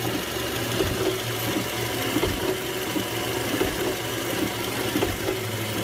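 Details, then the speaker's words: Running car engine: dull, uneven clunks about every second or two from a worn, often hydraulic, engine mount, also causing vibration and creaking when accelerating and knocks over bumps. "además de causar golpeteos puede provocar vibraciones crujido al acelerar"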